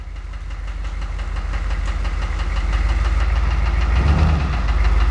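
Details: Engine with cracked pistons after 80,000 km of hard use, hollow steady knock about three or four per second under low rumble as the car rolls into the garage; piston slap.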